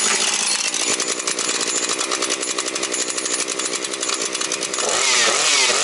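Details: Husqvarna 130 chainsaw with its replacement carburetor, cutting wood before reaching operating temperature and smoking from a rich oil mix: a crisp, steady two-stroke howl holds revs without bogging or sputter. Healthy under load.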